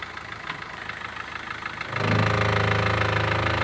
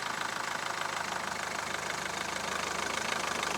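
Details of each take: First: Mahindra Verito diesel, reverse gear engaged: quiet running then sudden steady rapid rattle-knock as drive takes up; lower gearbox mount broken and bent back, hitting body and steering box; fix is replacing the mount. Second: Mahindra Verito diesel in reverse with brake held: even idle pulsing about four times a second with no clunk or rattle; engine sitting quietly on its mounts.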